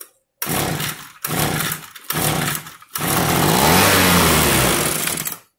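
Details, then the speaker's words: Junk Echo ES-250 blower revived with spare parts: three short buzzy revs with pauses, then a longer sustained high run that holds steady. The small two-stroke runs fine. "all we need okay she's a runner"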